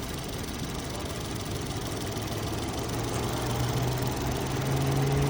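Steady churning crank at about four pulses a second that grows slightly louder but never catches and runs: cranks, no start.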